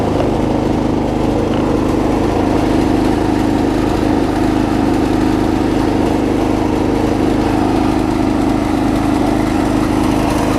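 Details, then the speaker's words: Circa-2015 Snapper rear-engine rider, push-mower-type engine, after carb clean, blades on: uneven lumpy beat under steady drone, not settling; a little water in the fuel suspected, may drain the tank; rough running. "still doesn't really want to run right but it's still running"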